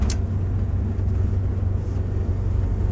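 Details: Vintage MCI 5 bus with a Detroit Diesel 8V71, about 20 years without maintenance, on a test drive: a deep, uneven, heavy, throaty diesel rumble as the bus slows with the jake brake engaged, working normally.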